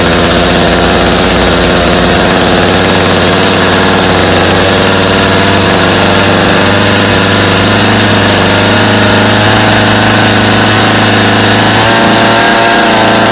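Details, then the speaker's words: Customer's Stihl chainsaw after reassembly, original Bosch spark plug, started from full choke; loud steady two-stroke buzz holding fast even speed without stumbling or surging; idle a little high but otherwise running well with little carb adjustment needed. "well now seems pretty good to me what do you guys think not too bad for a little bit of work I think we got a good running saw there"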